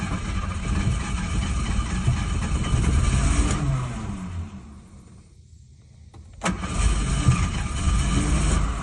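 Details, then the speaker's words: 1986 Ford Ranger XLT Super Cab 4x4, abandoned 16 years, fuel pump leak patched with JB Weld: engine runs rough, dies after about five seconds, then runs again. Ignition cutting out because the ignition switch plug was coming out on the back side; fixed. "apparently the ignition screwed up to let it back it shuts off the ignition so but it runs Ford Ranger all right got the ignition switch problem taken care of just the plug was coming out on the back side"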